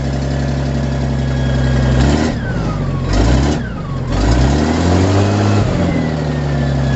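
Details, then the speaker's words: 1956 Hough H-50 loader with a 6-cylinder BD 240 engine, test run after a tune-up, started on choke: a steady low note with smooth rev blips and no misses or knocks; all plugs firing, running smooth. "I told you we're getting sparks. All the plugs are firing. I can hear them firing. Running smooth."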